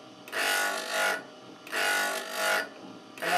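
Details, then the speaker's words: Drill-bit sharpening with a grinding attachment on a bench grinder, bit swung left to right across the stone: a rasping grind that swells and fades with each sweep about every 1.5 s, continued until nearly no sparks; normal. "I continue till there's nearly no sparks left then I have a good finish"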